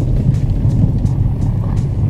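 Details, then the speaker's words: VW Vento front suspension after an inexpensive fix for a months-long noise: only low tyre and road rumble at low speed (about 15 km/h) over rough ground, no clunks or knocks; suspension is now quiet. "por la prueba porque no suena absolutamente nada y eso da mucha felicidad tenía meses con el ruido pero meses y en silencio de nuevo por fin"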